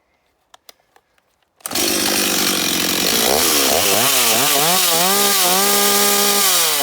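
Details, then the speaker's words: Stihl 026 chainsaw at full throttle: it runs correctly but wavers and burbles at the top instead of screaming clean, and could rev higher. The high-speed mixture is too rich, and the fix is turning the H screw in by 1/8 turn. "Là, vous avez entendu, elle tourne correctement, mais on sent qu'à la fin, ça tourne pas très rond. Elle pourrait encore monter un peu plus dans les tours. C'est-à-dire que là, elle a trop d'essence."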